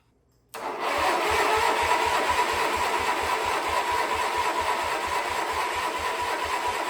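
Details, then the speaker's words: Wheel Horse 520H single-cylinder engine, freed from locked up in about a day, first start on fuel poured into the carb; catches and settles into a steady thumping run about three beats a second, no knocks; carb cleaning still expected. "well it's alive I'm guessing we're going to have to pull that carb off and clean it take a closer look at the fuel system but at least we know we got a runner"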